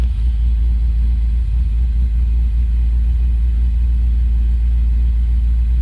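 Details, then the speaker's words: 1956 Dodge idling after a fuel pump repair, restarted once the PCM reset: low, steady rumble with an even beat and no knocks or misses. "It's always nice when it actually turns back on after working on it."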